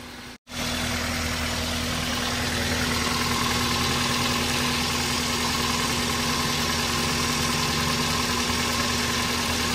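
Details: Toyota Avanza at idle: fast, fairly even ticking knock about four a second over the engine note; timing chain judged fine, mechanic suspects pistons, cause unconfirmed, engine to be torn down.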